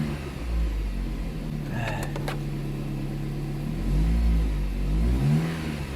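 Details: 2010 Jeep Compass after repairing a no-start caused by a corroded ASD relay box: the engine catches and holds a steady low hum, revs up cleanly twice and settles back with no miss or knock; still needs new spark plugs.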